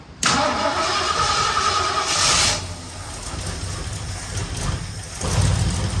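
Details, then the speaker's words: 1964 Ford Fairlane Thunderbolt clone V8, first start after about six months parked, carburetor fitted, fuel from a jug, no coolant; catches straight up to a steady even idle with low burble, owner hears slight lifter noise, probably needs oil change. "that motor sounds sweet I don't know how it sounds on this video have been a little lifter noise cuz it's not been run and probably need the oil change and all"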